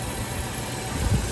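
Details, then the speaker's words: 1995 Range Rover Classic 4.2L V8 after replacing the ignition coil, ignition amplifier module, distributor cap and rotor to cure no-start and stalling: starts without hesitation into a low, steady V8 burble at an even idle; normal idle after repair. "Oh my. Wow. It didn't even hesitate. Wow. I hope it doesn't die on me, but that sounds sounds really good."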